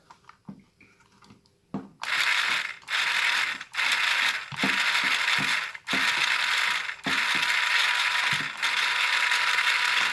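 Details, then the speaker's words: Magazine priming mod test, mag inserted, prime-only mode (not spinning, not firing): short motor bursts about three times a second with a ratcheting buzz and no firing cycle; priming motor working properly. "There you go, you can hear the motor priming, but this one's not spinning and it's not firing. Mag prime only."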